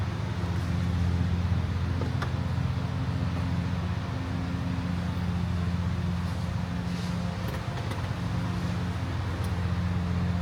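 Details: Honda Civic hatch after valve seals, timing belt and water pump, timing set at 16°, not yet up to temperature: steady low idle hum, slightly busy while cold, no knocks or misses; normal idle.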